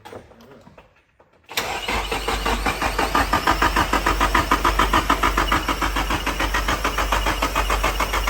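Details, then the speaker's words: Nissan 240SX S13 hatch with swapped S15 naturally aspirated SR20DE, first start attempt: starter cranks steadily about three turns a second, no firing, fuel pump off to prime oil. "All we have to do is I have to crank it over a bunch. So, we'll do that now to kind of get oil through the engine."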